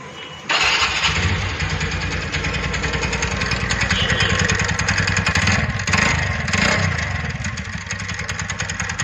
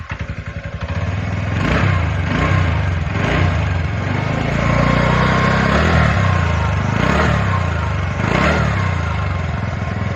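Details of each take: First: TVS Ntorq BS6 scooter engine starting and running with a rough, rattling knock over its steady beat. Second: TVS Ntorq BS6 scooter after engine knocking repair: engine revs up smoothly, settles into a steady, even idle, then shuts off; no knocking.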